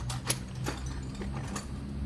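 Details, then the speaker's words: Yamaha NMAX fuel-injected scooter that cranks but won't start, engine off, key turned on, ear at the fuel tank: faint hum with a few light clicks as the fuel pump primes; pump working normally. "tumutunog na pag narinig niyo yun ibig sabihin yung fuel pump niyo gumagana Pag hindi niyo narinig yon maaaring doun kayo may problema sa fuel pump"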